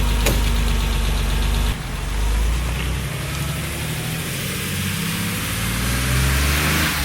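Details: 1977 Porsche 911 air-cooled flat-six revving after months of hibernation, fresh oil change, new oil cooler hose and battery; deep even burble picks up cleanly and settles smoothly, no knocks or misses; sounds smooth and good. Healthy engine revving.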